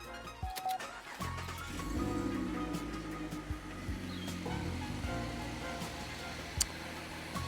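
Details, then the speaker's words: LFX V6 after installing an RXP twin catch can: brief crank, then a smooth, even idle with no vacuum leak hiss, only slight vacuum sound through the can. Normal idle. "it all sounds pretty good i can't really hear the sound of uh any vacuum leaks the idle seems pretty good"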